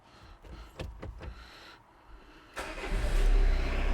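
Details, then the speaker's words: Citroen Dispatch/Jumpy van with secondhand scrapyard Peugeot 306 diesel engine, started after engine and clutch install with front reassembled: short crank, clean catch, steady even idle, no misses or knocks, no smoke; sounds good, normal. "so let's start this to see what it's like start nice sound good no smoke"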